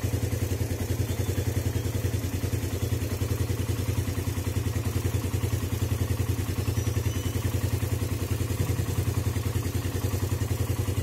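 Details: Suzuki Satria FU single with PE 26 carburetor, cold engine after electric start: fast, steady putter around three beats a second, even firing, no misses; healthy cold idle on choke.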